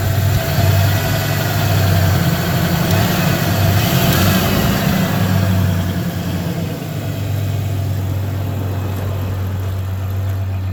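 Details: 1993 Ford Ranger 3.0 V6 at low idle with an uneven, lumpy beat and occasional stumbles; misfire at idle while searching for the dead cylinder, owner suspects cylinder 3.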